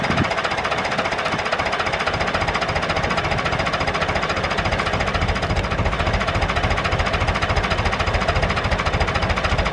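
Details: David Brown 996 diesel tractor, left sitting about 10 years, just started on the excess-fuel button: steady, regular clatter at about three and a half beats a second, even idle throughout; normal idle.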